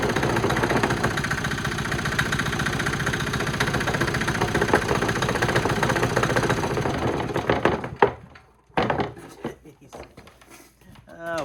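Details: New cheap Chinese 196cc four-stroke single-cylinder diesel, 22:1 compression, 3000 rpm rated, kick-started after bleeding the fuel: even, steady chugging for several seconds before shutting off; a healthy idle.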